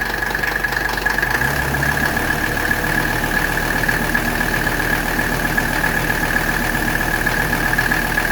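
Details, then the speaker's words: 1985 Mercedes 300TD W123 wagon diesel idling while its original R12 air-conditioning system is recharged: the low note shifts as the AC compressor clutch kicks on, then runs evenly with no grinding. Normal compressor operation. "now when it gets enough in there we're going to hear the AC compressor kick on there it went the compressor just kicked on"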